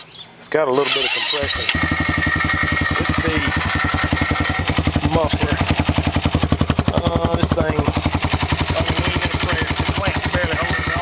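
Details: 2010 Honda Rancher 420 with a 2020 Foreman 520 cylinder, stock 420 fuel system and 53% gear reduction, after the earlier bad rear rattle was found and fixed. Short crank, catches quickly and settles into a steady, even single-cylinder idle with no rattle. Normal idle.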